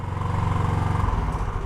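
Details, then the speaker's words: 2009 Genuine Buddy 125 single-cylinder scooter after variator kit install and test ride, which showed poor power: fast, steady, even putter at idle settling lower; owner thinks idle is set too high and may need adjusting. "sounds like I'm idling kind of high too so maybe I need to change that"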